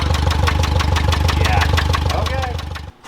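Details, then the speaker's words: Geo Metro small engine with an exhaust leak: loud idle with a steady metallic rattle pulsing about three times a second, rougher than it should be, before shutting off. "as you guys can hear exhaust it's got an exhaust leak but that's not incredible so far don't think she's supposed to Rattle like that"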